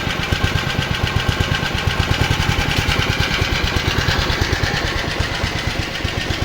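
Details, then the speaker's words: Honda HR215 lawn mower, previously seized engine, after idle adjustment, no smoke: quick, even exhaust pops with steady spacing, no misses or knocks; normal idle. "well tubers got the idle set boy does it run sweet for being seized"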